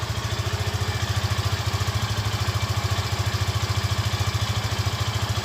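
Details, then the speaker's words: Yamaha FZ15 motorcycle idling after being revved: an even, steady thump with a slight noise at the front but no ticking or rattle. Normal engine sound, no cam chain noise. "Faz, olha só o barulhinho. Mas é o barulho normal do motor, não tem barulho de corrente, entendeu?"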